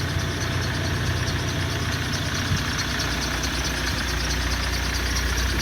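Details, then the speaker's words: Car idling: thin, high whistling whine continuously over the engine's low rumble; belt drive whine blamed on idler rollers replaced three days earlier, suspected, not confirmed. "а вот это слышать шум ролика которую поменяли которые поменяли 3 дня назад"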